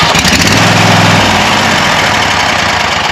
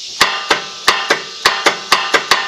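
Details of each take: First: Wright Stander ZK61 with Kawasaki FX850V twin after starter replacement, hot after a mowing test run: strong, even chatter, cranks and catches cleanly, settles without misfires; normal start and run. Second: Wright Stander ZK61 mower with Kawasaki FX850V engine, turning the key: about nine sharp, solid clicks in under three seconds, no cranking; solenoid pulls in hard but starter motor has failed, to be replaced.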